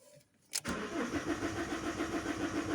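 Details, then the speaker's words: Common rail diesel engine with a bad RPM (crankshaft position) sensor and no synchronization: starter churns about 3.5 turns a second with no catch, fuel pressure slow to build, battery getting low. Long crank, no start. "so what what happens here is uh something really interesting the rpm sensor is bad okay after we do some engine rotations the management of the well the ecu starts to try to manage something to try to start the car so it starts to develop fue"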